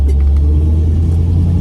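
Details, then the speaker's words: Pontiac Firebird restoration, rear axle after pressed-on bearing swap, coasting on road test: smooth low road rumble, no grumble or growl as before; quiet rear axle, big improvement. "I don't hear grumble grumble. It's silent now. I don't know. Listen, hear that? It's silent when I coast now. That's actually a big improvement."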